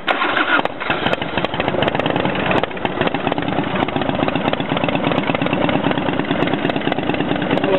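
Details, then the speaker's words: Motorcycle just started after a rebuild, still a little cold on the choke; idle slows when the choke is pushed back in: quick, even popping idle with no misses or knocks; running cleanly, normal cold idle. "pretty good yeah we still a little cold oh maybe i'll put the truth back in it starts slowing down when you run the choke back in"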